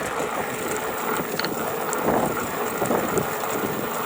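Quiet, irregular dry rattling and clicking over a faint hum, appearing only at moderate motor load; source of the rattle isn't identified.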